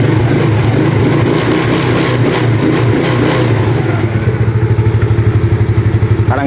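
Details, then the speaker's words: Yamaha Mio carburetor scooter after vacuum part and worn needle jet replaced, fixing hesitation off idle: steady low idle picks up smoothly on light throttle and settles back without stumbling or popping; normal carburetor response. "Nah di sini bisa terdengar ya langsamnya Dia normal Terus kalau kita gas langsung turun"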